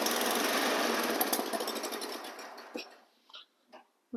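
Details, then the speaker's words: Old free snowblower engine after oil change (water in oil), carb bowl drained and fresh gas: small single-cylinder pops steadily about 3.5 beats per second, then winds down; runs healthy, belts, auger and wheels work. "That one worked out pretty good for a old snowblower for free. Yeah, that's good. All the belts seem to work."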